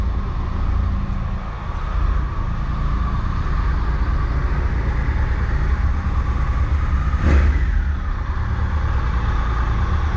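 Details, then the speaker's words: Triumph Tiger Explorer 1200 at 45,645 on the odometer, after fixing excessive play in the alternator housing and replacing its bearings. The engine runs smoothly with brief revs, and the clock-clock noise is gone. "Então montamos aqui, o barulho foi embora. Adeus clock, que a concessionária falava que para o cliente que estava normal."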